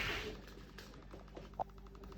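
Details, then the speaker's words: Two-day-new Mac Mini M2 Pro, idle and unconnected, suddenly gives a fast even run of small popping clicks, about ten a second, lasting about a minute then stopping. "Maakt dit geluid. Vind ik niet normaal. En nou stopt hij."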